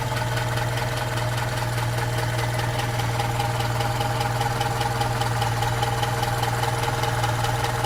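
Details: Opel Rekord P1 engine at idle: light, regular clacking about 2.5 per second over a steady idle, source not pinned down; engine clacking noise.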